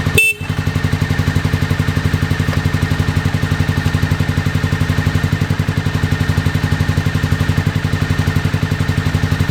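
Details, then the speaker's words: 2001 Honda VFR Interceptor revived after nearly a decade in a barn, old fuel, jump box; owner suspects mouse nests, cause unconfirmed. Lumpy exhaust beat about four pulses a second: misfire, several cylinders dropping out. "it'll only do that at Full Throttle man but it's running"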